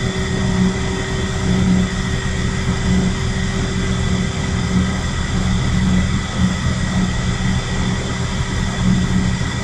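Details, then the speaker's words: Shinko steam turbine generator at its rated 1800 RPM, enclosure door closed, excitation not yet applied so no electricity produced: a constant deep hum with a steady tone on top, no knocks or rubbing. Turning smoothly. "Okay, so we're up to rated speed for the generator. So the generator is spinning right now, but we're not producing any electricity because we haven't turned on the excitation."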